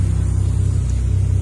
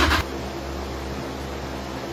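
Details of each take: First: Toyota Chaser 1JZ-GTE VVTi with wrong J-pipe that can't be plumbed into its port: engine revs to about 2000 rpm after starting, even smooth drone well above normal idle; high idle from vacuum leak. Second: Toyota Chaser 1JZ-GTE VVTi, started by manually triggering the starter relay with fuel and spark confirmed: low drone steps up as engine catches and settles into a steady even run; normal start and idle.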